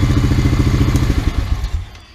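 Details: Used Honda Rancher 350 ATV after oil and filter change, air box off: steady, even single-cylinder thumping idle for over a second, no miss or knock, then winds down and shuts off; runs well.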